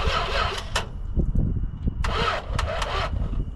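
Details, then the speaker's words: Industrial 440 engine in a truck, throttle held wide open with gasoline poured in. Sluggish, uneven cranking bursts between pauses as the battery runs down; it popped a couple of times but never fired: slow cranking, no start. "It popped a couple times. She's teasing. Well, his new truck definitely has life. Just needs a little bit of TLC before it'll run."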